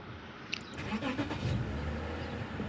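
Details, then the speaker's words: Lexus IS250 (2007-2008) that had no crank, no start, no check engine light from 5 volt short to ground, after replacing faulty three-wire sensor with a used one: brief crank catches and settles into steady, even idle; normal start after repair. "तो अब हमने fix किया, गाड़ी बिल्कुल सही हो गया, start हो गया है।"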